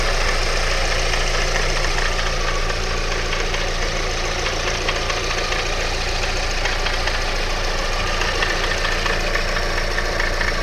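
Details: Alfa Romeo 156 2.0 JTS petrol engine at idle with a steady rattling knock through the low drone; owner asks whether it is a bearing, cause unknown.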